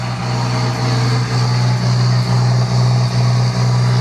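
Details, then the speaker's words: 2nd-gen diesel truck: steady, fast high idle with an even low drone and no dip; no ECM codes, coolant temperature reads -47 so ECU thinks it is extremely cold; high idle from false cold coolant reading. "So, this is a high idle due to it thinking it's extremely cold outside."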